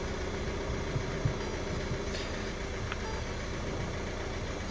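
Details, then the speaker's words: Ford Fiesta Vignale Mk8 1.5 diesel after timing belt and water pump replacement. Steady low diesel idle with faint turbo whoosh, no knocks or misses; settling evenly and running right. "running and Ticking over lovely so it was a good job really it was a good job"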